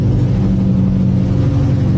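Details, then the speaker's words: Car wheel bearing after replacing an excessively worn bearing: smooth even low rumble while rolling, with the earlier growl gone; normal wheel bearing. "ahí tenemos instalado todo y ya no tenemos el ronquido que escuchamos al principio"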